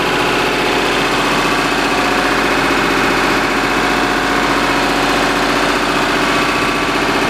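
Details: Lister HR3 diesel generator of unknown make and output, powering a 100 amp house service, running right at 60Hz under household load: steady clatter with an unchanging beat and no sag. Normal running under load.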